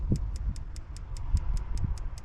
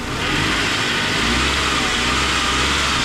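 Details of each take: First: Vauxhall engine running, spark plug test on cylinders three and six: light even ticking about five a second over a low rumble, a pathetic weak spark versus strong plugs two and five; coil pack suspected unless the HT leads are at fault. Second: Engine revs up and holds an even, steady note on an old Vauxhall with no belt squeal or chirp, after cleaning a buildup of grease and oil off the belt and pulleys fixed the noise; runs clean.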